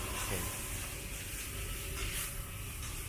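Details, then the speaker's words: E-bike upgraded from 350W to 1200W with a new controller and added 48V-to-12V converter powering a cooling fan: soft steady airy whir with a faint hum, no ticking or scraping; controller cooling fan running normally. "You can hear the sound of the fan inside, and the air come out from here. It's cool, it's good."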